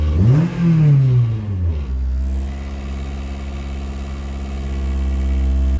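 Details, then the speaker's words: K20-swapped Honda Jazz/Fit on cold start, with an FN2 airbox containing a MAF plugged in: a quick rev blip drops back and settles into a low, steady idle. The idle drops much lower and the engine revs. "as you can see it's uh it's un cold start so it does hold the revs a little bit but the idle dropped a lot lower and it would rev"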